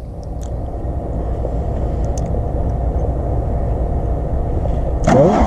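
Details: VW Rabbit diesel that sat about 15–17 years, fuel lines just primed with fresh diesel: long steady cranking at about three and a half turns a second before it finally bursts into life. Hard starting; cause suspected, not confirmed.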